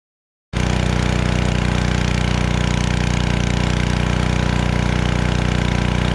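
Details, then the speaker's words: Generac 01292-2 pressure washer after carburetor replacement and pump bearing replacement and new oil, running with water: small engine starts and settles into a steady even beat about three per second, no knocks or misses; healthy. "All right, it works. Got my truck all cleaned up."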